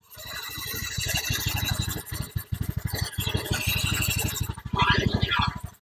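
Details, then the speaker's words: Honda Beat FI single cylinder after new piston fitted, running with CVT and engine checked: smooth even idle with short throttle blip, no rattle; healthy idle after repair. "Monggo Mas unit Honda beit F Mas punya jenengan on engine mesin alus ya Mas bagian CVT terus mesin Tengah halus Mas suarane WS halus"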